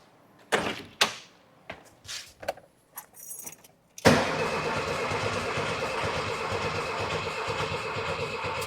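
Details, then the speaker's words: 1979 VW Super Beetle, air-cooled, one owner, sat 10+ years after a fuel issue: starting fluid is sprayed in, a few clicks, then the starter spins the engine with a steady whirr and nothing catches. Cranks but won't start; later one cylinder tests just over 135 psi compression. "So, let's give it a little squirt of starting fluid. See if it actually fires. [Laughter] H I would have expected it to give a little fart or something."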